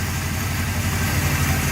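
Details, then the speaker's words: Honda CB750F Super Sport restoration, first runs after freeing a softly frozen motor and carb rebuild, on a jumper battery, third start with some PB Blaster likely still in a cylinder: low, fairly even idle burble, slight lumpiness, no knocks; improving each start. "but this is the third time I've started it and it's running better each time"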